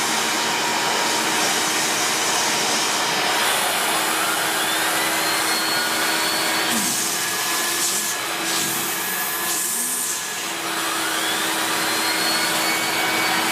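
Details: 1994 Hoover Turbopower 2 U2462 upright bagged vacuum with an 800W motor and no autosense: steady high-pitched motor roar with an even airflow rush and no rattles or speed wavering. Normal running.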